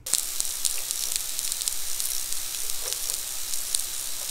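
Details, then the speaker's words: Dell laptop coil whine: a high, crackly electrical sizzle with irregular ticks from the power circuitry, attributed to cheap components packed into a small package. "I was first introduced to the coil whine in laptops by a company called Dell, which is famous for producing ridiculously inexpensive equipment with amazing characteristics. And Dell computers sound like this."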